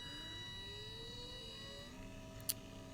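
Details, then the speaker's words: Windshield wiper DC brushed motor under Arduino PWM speed control: steady high electrical whine rising as duty cycle increases and motor spins faster, falling as it slows to stop; normal PWM motor noise. "so you should notice that when the duty cycle is high what we see is we see the motor spinning quickly and then it ramps back down when the duty cycle is low"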